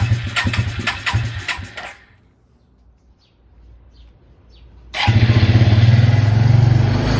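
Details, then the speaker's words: 2000 Suzuki Quadrunner 250 4x4, 603 miles, sat about two years, just started on choke with the airbox lid and air filter off: the single pops unevenly, falters, goes quiet, then picks up a lumpy, pulsing run. "I still gotta put the air box lid and the air filter. It'll run way better like that."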